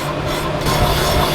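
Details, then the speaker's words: Boring a Honda 330R big-bore cylinder, second pass taking a light 0.003-inch cut: steady, even rasp with no chatter or pulsing; the bore is running concentric. "Now we're on to pass number 2. Sounds pretty concentric. I think we're good."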